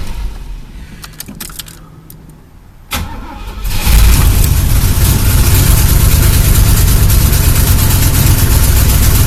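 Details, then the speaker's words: Chevy El Camino sat about a month and a half, ice cold, fuel treatment added: catches after brief crank, steady even cold idle, carburetor not gummed. "and it's got a good Idol at cold that means this craft work because it was sit in a while and the gas that was in there didn't get so gummy yet it clogged it off the carburetor"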